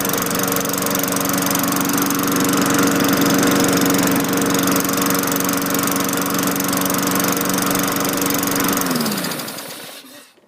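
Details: 2003 Craftsman 22-inch mulcher mower with Tecumseh 4.5 HP engine after new carburetor, governor spring tension raised then backed off: steady, even drone holding speed on the governor, winding down smoothly at shutoff; runs clean.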